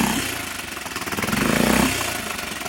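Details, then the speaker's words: 6.5 hp Hangkai four-stroke outboard fitted with a modified Yamaha 6 hp carburetor after flooding problems: choppy, uneven putter surging and sagging instead of holding steady; rough running, carburetor needs adjusting. "sounds like we need to make some adjustments to the carb you got to really hone in on those listening skills and focus on what the engine is doing"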